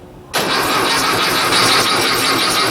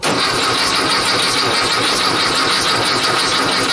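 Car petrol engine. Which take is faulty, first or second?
second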